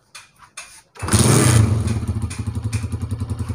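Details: Honda CG125 old non-Euro model (2010–11) after piston and ring work, with tappets then set correctly: a couple of kicks, quick catch and rev, then an even thumping idle around three and a half beats a second, no tapping; healthy.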